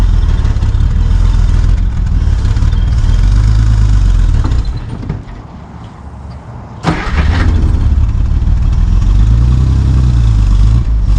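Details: 1955 Plymouth Plaza wagon, formerly locked-up engine, first drive in 42 years, in first gear: low rumble sags and drops nearly silent for two seconds before catching; dying under load. Owner suspects the brakes are too tight.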